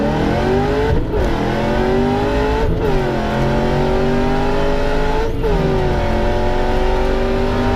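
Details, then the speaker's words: Supercharged LSA Camaro on track: hard-pulling V8 wail through the gears, with the RPM sagging and bogging on the 3-4 upshift; owner first suspected the clutch but now thinks the blower belt is most likely slipping. "hear right there when I do that three to four shift you hear the RPM kind of bogged down first I thought was the clutch"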